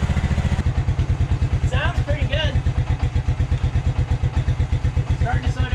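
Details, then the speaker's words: 1996 Suzuki King Quad 300 4x4 ATV, not run for months, suspected carburetor issue: slow, uneven single-cylinder thumping at idle that dies when given full throttle. Owner suspects a lean mixture (more air than fuel); not confirmed. "yeah it's definitely not running real good see i just killed it by giving it full gas which means that full gas is not full gas it means it's getting more air than it is gas"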